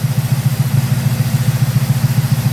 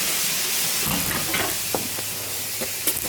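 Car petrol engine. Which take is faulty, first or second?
second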